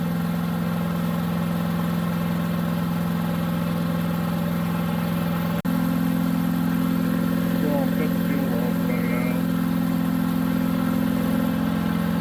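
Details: New Harbor Freight Predator 212 chipper shredder, fresh oil, break-in: steady single-cylinder idle holding with choke about three-quarters on; only runs on choke, fuel draining and carburetor bowl service followed. Cause suspected, not confirmed.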